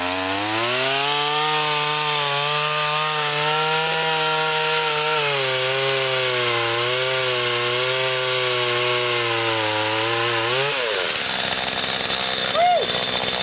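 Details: Garbage-picked STIHL two-stroke pole saw after a melted leak repair, cutting a branch: a high wail holds steady and dips slightly as the chain bites into wood, then frees up; pulls cleanly.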